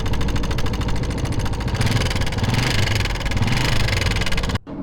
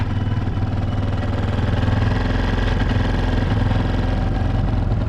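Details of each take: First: Motorcycle with a small single that ran out of engine oil: fast metallic tapping over the idle from the valve train; the tappet cover showed the tappet plate broken on one side due to oil starvation. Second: Motorcycle single-cylinder just after an oil refill and top-end repair (oil had run out and broken a tappet part), revs kept low while oil circulates: a smooth, even idle with a steady low thump and no ticking; normal idle.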